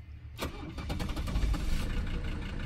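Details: 1982 Mercedes 300SD turbo diesel, bought non-running and brought back to life, restarted after a shutdown test via the fuel shutoff: brief crank, then it catches at once into an even diesel clatter; clean normal start.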